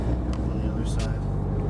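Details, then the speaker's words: VW MK7 GTI with AirLift V3P air struts after replacing a trashed top hat bearing and tightening a leaking air line that caused pressure loss and clunking: steady road rumble with no knocks or clunks; normal suspension. "all right so we got it all fixed the issue was that there was pressure lost and it was clunking"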